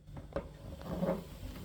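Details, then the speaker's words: Electrolux PerfectCare 800 EW8H458BP dryer after 6 years, drum turned by hand with one side's rollers already replaced: dull, uneven rumble, scraping and a knock from a worn, broken drum support roller on the other side. "Dzięki temu mechanizm oczywiście też wyczyszczony i tu są te dwie rolki które tak hałasują teraz"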